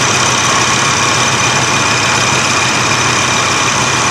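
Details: 1987 Chevy S10 at idle after replacing the AC accumulator/dryer and orifice tube and fixing an O-ring seating issue. An even whirring hum from the engaged compressor, with no squeal or knock. AC compressor running normally.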